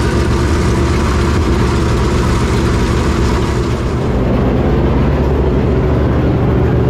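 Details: Clements Racing super late model race V8 after re-angling the oil pump that shredded the belt and easing belt tension: steady deep idle, even lopey beat around four pulses a second, no knocking or belt chirp; running healthy.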